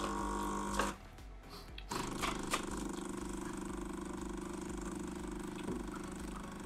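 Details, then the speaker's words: Jura A7 espresso machine after replacing the cracked brewer unit (error 8): steady, even pump hum with no rattles while brewing a 70 ml espresso over about 25 seconds; normal espresso pump running after repair. "Well, it brews nicely, this Espresso. Listen slowly, without rushing, these 25 Italian seconds from the book."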